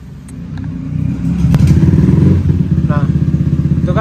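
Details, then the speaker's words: Bored-up Honda Vario 150 keyless scooter with BRT Juken 5++ ECU and larger injector, engine at 58.9°C, after ignition setting saved: catches quickly, steady even low putter with no clicking or stumbling; normal start. "kan udah nyala normal ya"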